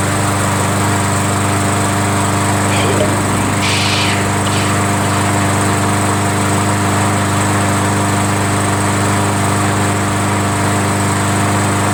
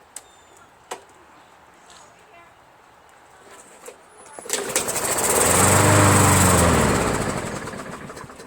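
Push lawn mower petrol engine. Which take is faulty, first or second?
second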